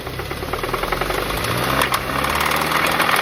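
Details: VW Golf GTI Mk7 Performance Pack, CXCB engine, revved from idle up to 3000–4000 rpm: rapid metallic knocking that quickens with revs, rod knock suspected from running without oil after the plastic oil pan broke.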